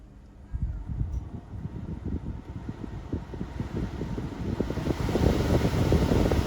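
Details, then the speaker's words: 2020 Chevrolet Silverado heater/AC blower fan after replacing the intermittently non-functional unit with a new genuine AC Delco GM part: steady rush of air building slightly, no squeal or ticking; blower now works normally. "as you can hear that that wind on it certainly does work now and I'm glad it has been really hot thanks for watching"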